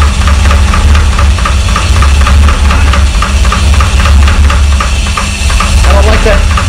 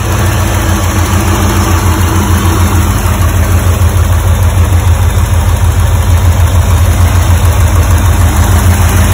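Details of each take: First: 1985 Porsche 928S first start after fuel pump and filter replacement, having sat over the winter with the oil a quart low. Quick, even ticking, about four or five a second, over a deep rumbling idle: valvetrain ticking from low oil level. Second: 1985 Porsche 928S V8 after fuel pump and filter replacement and adding a missing quart of oil, first run after sitting long: deep even idle burble, steady beat, no misses, knocks or ticks; running healthy.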